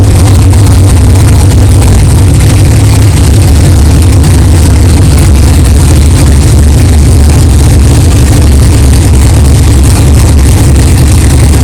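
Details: 1964 Chevelle 383 stroker V8 at first fire-up after an 8-month build, 63 lb oil pressure: deep, even idle with steady lope, no clanging or knocking; good oil pressure, healthy normal idle.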